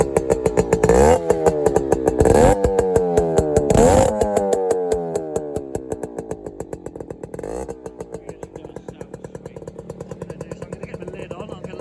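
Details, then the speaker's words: 1997 Yamaha YB1, a Japanese-market FS1-E lookalike with rotary gearbox and Higgspeed expansion pipe, choke control at top: a few kicks, then it fires and settles into a crisp, even two-stroke ring-ding idle; healthy running. "This little fizzy lookalike, quite nice."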